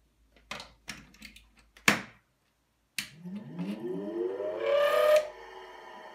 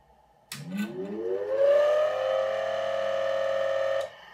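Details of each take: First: Original three-phase 380 V motor from a Micafil Swiss transformer winding machine, cleaned and rewired with a capacitor and direction switch: switch clicks, then smooth hum rising as it spins up and holds steady; runs fine in both directions. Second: Micafil Swiss transformer winding machine motor, clamped to a desk for a bench test. It spins up with a rising whine into a steady hum with a faint rough edge; the motor bearings are suspected.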